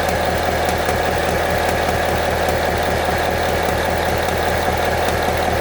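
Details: 2014 Ford Mustang 5.0L V8, 9,500 miles: light, fairly regular tick over steady idle, around a hundred-some per minute; dealership has not found the cause; engine ticking of unknown origin.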